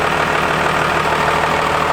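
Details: Diesel truck, first startup with a newly installed compound turbo system, new turbo paint giving light smoke, not yet road-driven; steady, even idle clatter with a smooth whistle on top, no misses or knocks. Normal diesel idle.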